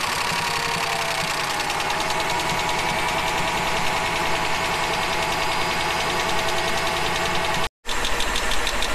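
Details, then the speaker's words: 2004 Mercedes-Benz E500 wagon, all-wheel drive, 330K miles, at idle after a suspected sticky lifter was replaced: uneven lumpy idle with a cylinder regularly dropping out; misfire persists, owner now suspects a burnt valve, not confirmed. "obviously i have a burn valve or something of the sorts because that did not fix it the lifter did not fix the problem"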